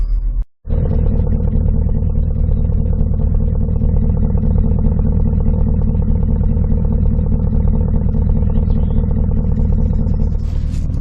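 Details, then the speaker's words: 2009 Porsche Cayenne Turbo S V8 with 168,887 miles, heard from outside at idle on a very hot day: deep, steady burble with an even beat and no knocks or misfires. Healthy idle. "Man, that V8 sounds good."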